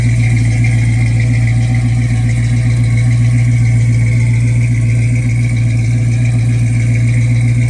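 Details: Mustang after an overheating fix, with timing backed off about 3 degrees to 10 for hard starting, expected to run at the thermostat around 175: steady, even idle, a low drone with fan rush behind it, no misses or knocks.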